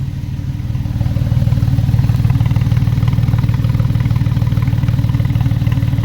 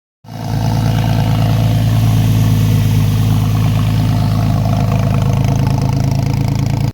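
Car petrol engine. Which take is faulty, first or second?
second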